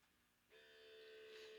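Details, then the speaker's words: UV-absorption ozone analyzer with mercury lamp, starting up after a 10-minute warm-up countdown: silence, then a steady high pump hum, then a sharp solenoid click switching from sampling to averaging. All normal. "so you hear the pump working and you get your zero zero point zero zero okay now you also hear the solenoid clicking over from sampling to then averaging okay so that is very normal what you are hearing and experiencing"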